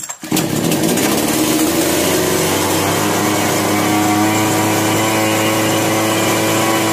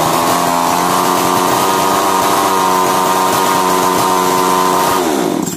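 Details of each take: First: Chainsaw, model 652, with starting problem, hand-choked after carburetor adjustment: catches and drones at a raspy, steady pitch but runs unevenly, starting and stopping; problem not solved, mechanic suspects a sooted spark plug next. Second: Chainsaw (model stated as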